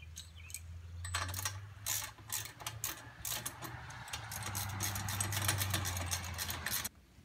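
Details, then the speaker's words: Gravely 450 Onan CCKA engine, spark plugs removed, roughly 45-year-old original starter: slow uneven cranking about four beats a second that never speeds up; owner blames a sticking Bendix and a tired starter, later replaced with a new starter. "stupid Bendix stickin up piece of junk here that bend exit pump I think this this starter is a little tired"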